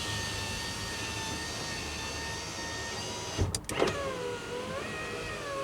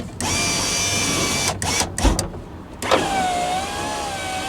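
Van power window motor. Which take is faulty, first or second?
first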